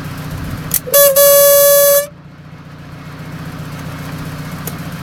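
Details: Mazda FD3S RX-7 rotary at idle: steady mid-pitched honk for about a second over lumpy idle, from the FSE fuel pressure regulator; owner suspects it may be linked to an engine failure of unknown cause.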